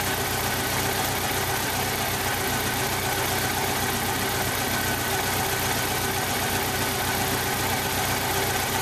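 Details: 1995 Jeep Wrangler YJ 2.5L four-cylinder at idle; cylinder one has a blown head gasket seal with about 70 psi compression; steady idle with an uneven, lumpy beat and loose irregular stumble from the weak cylinder.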